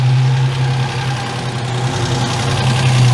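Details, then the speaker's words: Ford Capri Mk1 3.0 GXL Essex V6 after 8 years sitting, idling after throttle pumps; steady low idle that sags toward stalling once the extra fuel is used up; lean idle because a carburettor air leak lets in air while the closed throttle pulls vacuum. "so why does this happen well quite simply Air's getting in where it shouldn't be carburetors work on vacuum and at idol the engine pull in a lot of vacuum because the throttle's closed"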